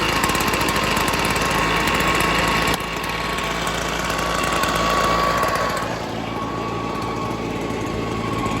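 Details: Echo PB-265LN or 2005 Stihl BR420C Magnum backpack blower, after a cold start with choke on run: steady, even two-stroke drone with no misses or surging, settling slightly lower after a second; running cleanly.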